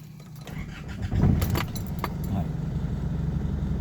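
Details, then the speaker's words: Isuzu D-Max diesel that would not start with the SCV valve connected, after the faulty part was replaced: keys, a short crank, then it catches cleanly into an even, steady idle with no stumble; normal start after repair. "เห็นมั้ครับเครื่องยนต์ติดปกตินะครับ"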